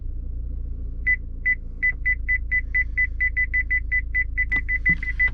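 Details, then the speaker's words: Newly fitted parking sensors (PDC), front selected while driving toward a chair: short high beeps that speed up as the car closes in. Front and rear sensors now work, with front-only operation going forward and the rears joining in reverse. "So there's our PDC. Now we've got front and rear working."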